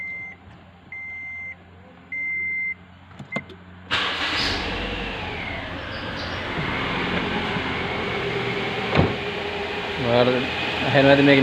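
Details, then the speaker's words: Toyota Allion 260 1.8 petrol (2008) starting after three chimes, then an uneven, lumpy idle from a misfire; engine visibly vibrates, and the misfiring cylinder is found by unplugging injector connectors one by one and watching for an rpm drop. "Today I am going to show you how to find a misfiring cylinder without a special tool. It has a misfire."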